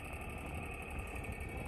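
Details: 1950s Polar Cub 8-inch table fan with worn switch and stuck oscillation: fast buzzing rattle riding on the motor hum, steady and mechanical; source not pinned down, guard bolts tightened without confirming cause.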